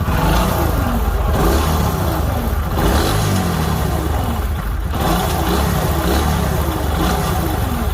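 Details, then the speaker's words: Junkyard single-cylinder motorcycle, kick-started (self-starter not working), engine already rebuilt twice by customer: loud running with rough clattering rattle rising and falling with revs; abnormal engine noise, full engine overhaul planned. "हम यहाँ पर kick मारेंगे, ये मैंने लगाई kick, और मैं आपको अब यही दिक्कत, सबसे ज़्यादा दिक्कत में इंजन में है। ये आवाज़ सुनो"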